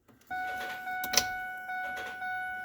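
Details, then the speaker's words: Fiddy vehicle after nylon fuel line repair and tank install, battery and ignition on: steady mid-pitched electric fuel pump hum from key-on with a brief clunk partway; normal fuel pump priming. "All right, well, I already got the battery turned on, and we'll see if we can get this fuel to prime up"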